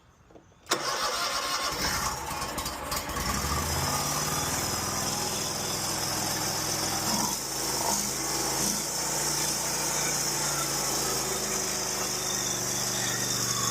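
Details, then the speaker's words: Stihl lawn mower after replacing blown and loose intake manifold gaskets. The single-cylinder engine fires at once and holds a steady, even buzz with no surging or hunting: normal running after repair. "Yes, I can continue putting it back together."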